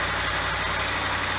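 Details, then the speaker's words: Dodge Dakota V8 cold start after removing the fan clutch: steady even idle with soft low rumble, no fan roar or whoosh; settling within a minute; normal cold idle. "지금 핸클러치를 제거한 상태니까 앞에서 들어본 핸클러치 달린 상태의 소리하고 지금 엔진 소리하고 비교해 보시면 확연한 차이가 난다는 걸 알 수 있고, 그 차이점은 핸클러치 소음입니다."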